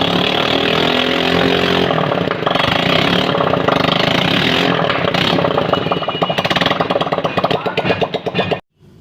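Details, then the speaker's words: Honda Pridor single, first start after head/cylinder overhaul and new piston rings for engine noise, oil loss and smoke; silencer off, revs then settles into quick even firing before shutting off; no piston slap, runs normally. "जी तो दोस्तों आपने देखा अल्हम्दुलिल्लाह bike हमने मुकम्मल तौर पर असम्बल करने के बाद स्टार्ट भी किया।"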